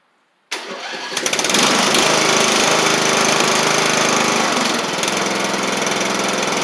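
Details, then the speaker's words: Craftsman LT1000 Briggs Intek engine after the carburetor was jetted out: starts cleanly and settles into a crisp, even run with no misses or knocks. It runs sharp. "all right sound really good wasn't wearing the belt or anything from I can tell first safy yep running good after I jetted out that car it's running sharp now"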